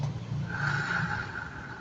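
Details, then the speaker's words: Yamaha Mio 115 scooter, rear wheel spun by hand with the cover off after a slack, cracked drive belt was removed: wheel turns freely but gives a rough scraping rasp from the outer and inner rear pulley bearings, grease dried out and worn. "ถ้าหมุนอย่างเงี้ยแล้วมีเสียงดังเนี่ยก็คือเกิดจากลูกปืนที่อยู่ในชุดู้เล่หหลังตัวนอกตัวในเนี่ยจารบีมันแห้งมันสึกหรอมันก็ดัง"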